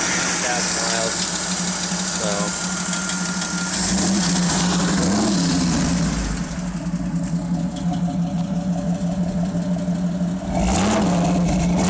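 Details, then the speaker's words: 1975 AMC 232 inline-six in a 1981 Jeep CJ-7, Pacesetter header, Holley 390 cfm 4-barrel, 2.5in exhaust with Flowmaster muffler, warm after a run, about 300,000 miles, 5–7 psi oil pressure: loud steady idle with faint quick lifter tick. "ylinder sounds good other than the lifter tab you can hear them pretty [Music] easily"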